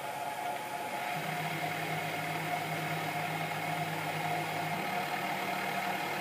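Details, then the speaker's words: Sieg KX3 CNC mill on its first real cut of a logo: a steady mid-pitched whine over a low hum, even and unbroken as the stepper motors drive the table side to side and the head up and down. This is the normal, intended stepper noise. "so the whining noise you can hear instantly is the stepper motors which drive the table from side to side and fall back and also the head up and down gently working away to themselves incidentally it is actually supposed to make that noise"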